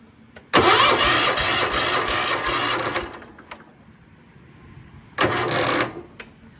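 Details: Circa-1974 John Deere 140 garden tractor, single-cylinder, started on battery charger after dead battery, with choke and a little throttle; two loud bursts catching and running, about 2.5 s then 0.5 s; starts normally.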